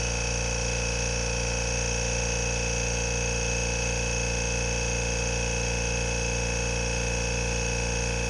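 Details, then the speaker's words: New Kobalt Quiet-Tech air compressor running, compared with a 20-year-old very loud Coleman Powermate Black Max; a smooth, even hum with a steady low drone and no knocks or rattles, running normally and much quieter. "i bought a new one the other day a new cobalt that's supposedly super super quiet so let's find out"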